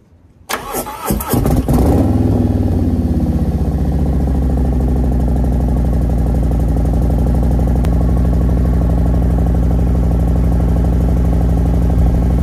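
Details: Harley-Davidson after about two months of winter storage: cold start, engine catches after a brief crank and settles straight into a steady, even lumpy idle with no knocks; healthy.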